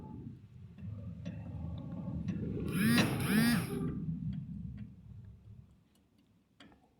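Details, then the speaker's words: Play in a worn stabilizer link (bieleta) of a Clio 1.0 16V sedan, rocked by hand; light, uneven metallic ticks, a knock heard loudly inside the car, one of the model's common suspension problems. "Essa é a folga que tá a bieleta ok pessoal então eu vou pegar e tentar simular o barulho que faz de dentro do carro para vocês ver como é que é mais ou menos só um minutinho"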